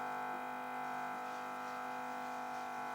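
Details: TV humming with steady buzzy multi-tone hum even with sound muted, when T2 receiver connected; ground loop, addressed with a resistor in place of the video cable.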